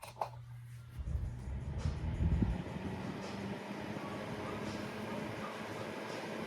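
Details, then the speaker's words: Holmes Blizzard Junior, a small 2-speed fan about 6 inches, run on what may be low speed though the owner is unsure it isn't high: a few handling knocks, then a soft, even low hum and airy rush. Running normally, with unimpressive airflow. "I honestly do not know if this is low speed. It might be high. It's not all impressive for the airflow."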